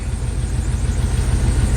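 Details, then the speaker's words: Squarebody Chevy V8 with a carburetor and its MC solenoid unplugged, after the timing was adjusted; the fuel filter is plugged and the muffler is possibly collapsed. Steady, even idle rumble with the earlier popping gone. "it's better though I think it's definitely better no more popping"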